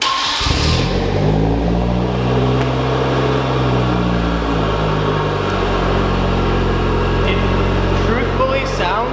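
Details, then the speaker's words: Hyundai Genesis on a lift, first cold start after installing an ARK Performance front pipe: catches quickly into a steady, loud fast idle with even exhaust drone, no knocks or rattles; cold-start volume noticeably greater than before, healthy start. "it's not like we installed a new exhaust but the volume I don't know if you guys can hear on the camera the volume on a cold start is greater than they used to be"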